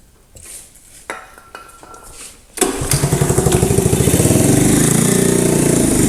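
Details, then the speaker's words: 1985 Honda ATC110 three-wheeler abandoned in a field, brake fluid sprayed down intake, on choke: clatter, then uneven popping that gradually settles into a steady run; reluctant hard start, gummed-up carb suspected. "I bet that carb is gummed up on the inside."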